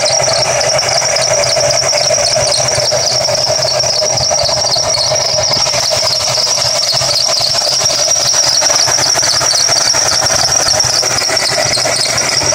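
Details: Running engine with a steady, piercing high squeal at constant pitch; sounds like a slipping belt, but which belt is squealing is unknown.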